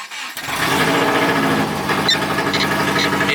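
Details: Freshly rebuilt JDM Subaru EJ20 SOHC with CX Racing dual ball bearing turbo, first start after cranking to cycle oil, no air filter: catches after brief crank and settles into steady fast idle, no knocking; starts cleanly, smokes slightly afterward.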